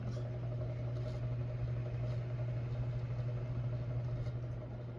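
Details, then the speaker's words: Hampton Bay Gazebo Plus 52-inch ceiling fan, copper patina, early-to-mid-2000s model: steady low hum with faint uneven rumbling, recorded close to the running fan; owner hears a bearing noise, doubts it is dry bearings, cause unconfirmed. "oh yeah it's definitely some sort of bearing noise it could be dry bearings out though i don't think that's dry bearings"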